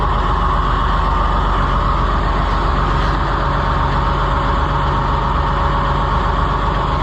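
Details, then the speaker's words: Oliver 1755 diesel tractor, 2,900 hours, likely original engine, cold start: steady, even low rumble, smooth beat, no knocks or misses; starts excellently in the cold despite worsening blow-by and slight smokiness. "It starts excellent in the cold. It's got a lot of, and it's getting worse the more I use it, but blow by and a little bit of smokiness, but boy, it sure fires up nice."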